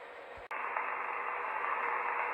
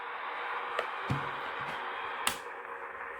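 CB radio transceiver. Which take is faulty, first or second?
second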